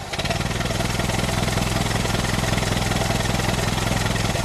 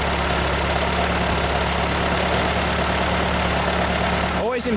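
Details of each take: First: 1925 Ford Model T four-cylinder, just hand-crank started with spark retarded and throttle barely open: uneven, lumpy chuffing about two beats a second; rough running with little power and wasted fuel until the spark is advanced. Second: 1925 Ford Model T four-cylinder, hand-crank started, throttle barely open, spark then advanced with timing correct: steady, even low thrum with no misses or stumbles; normal smooth idle.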